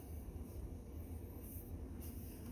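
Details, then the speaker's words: Sunny SF-E3911 cardio stair climber after reassembly, with lubricant sprayed on both metal roller rails to cure clicking that had worsened on both sides; a soft steady low rumble with no clicking, rollers moving smoothly; normal quiet operation. "So the Sunny Stair Climber is all back together. Listen to this. No clicking. Sounds as good as the day I bought it."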